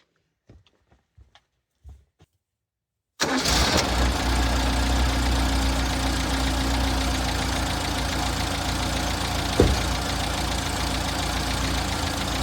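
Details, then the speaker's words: Six-wheeled Toyota truck after fuel tank replacement, new fuel filter and fuel line fitted (still leaking): cranks and catches, then low slightly uneven idle; same odd idle persists, owner next suspects ignition/firing. "I'm still having that same odd idle. So, my next guess is it's got something to do with ignition and firing."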